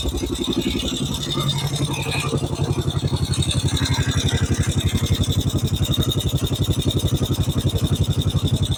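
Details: 1950 Norton Big 4 single with sidecar, cold start on a cold day, choke on: even deep thumping about four beats a second, slightly raised choke idle, no knocks; healthy cold idle.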